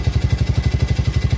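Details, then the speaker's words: Yamaha Vega R New motorcycle with constant ticking, harsh engine noise and very thick exhaust smoke: heavy rhythmic clatter about thirteen beats a second; piston slap, piston to be replaced. "oke teman-teman suaranya seperti ini ya keras sekali dan kita lihat di bagian knalpot"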